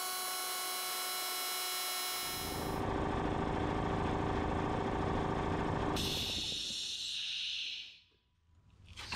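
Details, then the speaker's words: Ingersoll Rand air compressor, bought 2000, after replacing inlet finger valves, gaskets, air filter and pressure switch to fix not building past 70-80 psi: steady even pumping about 3.5 strokes/second, quieter, no air-leak hiss; healthy. "sensational much quieter than before um seems to be building a little bit quicker which is nice probably because of those finger valves i can't hear any air leaking anywhere"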